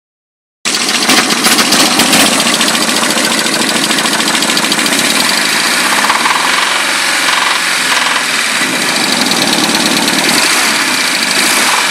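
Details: Nissan 200SX SR20DET: sharp, fast knocking over a rough idle, about three or four a second, disappearing when cylinder one plug is pulled; engine knock, owner suspects bottom end or rod knock.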